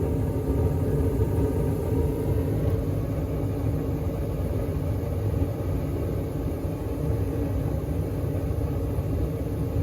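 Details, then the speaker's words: Carrier furnace inducer fan running smooth and quiet, steady low rumble without squeal, grind or rattle, after replacing the noisy motor, suspected failed bearings, with new isolator mounts. "And as you can see, the furnace is running, and it's running quiet."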